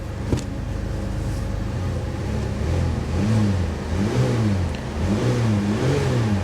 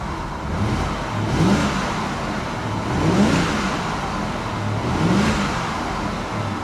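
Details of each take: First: Salvage-auction Corvette convertible, started at lot, revving: rough, uneven revving with stumbling lumpy firing and considerable smoke; misfiring badly, later smoothed after fuel worked through. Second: BMW with iDrive at a salvage auction: three clean throttle blips, revs climbing and falling back evenly with no misses or knocks. The engine sounds healthy.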